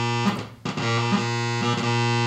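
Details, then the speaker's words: Oberheim OB-X synthesizer keyboard: a held note drops out and stutters, then returns with a changed tone as dirty key contacts and bus bar lose contact and switch to the next voice. "second issue is uh the key contacts need to be clean the bus bar you can hear it loses contact and switches to the next voice"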